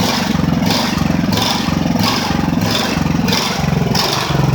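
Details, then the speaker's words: Ridgid generator with Honda GX390 engine, restarted after repairs and months unused: speed swells and sags about 1.5 times a second at idle. Engine hunting, cause unconfirmed. "parce que là le bruit qu'elle fait c'est pas très bon. Elle est pas supposé tourner comme ça mais au moins elle redémarre."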